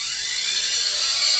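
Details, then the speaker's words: Cordless Einhell angle grinder, a few years old, with a soft-start function. A quiet high whine builds gently over about a second with no sudden jolt; the soft start works as it should. "It's called a soft start, so as soon as I turn it on, it's a gentle start. Not violent or anything."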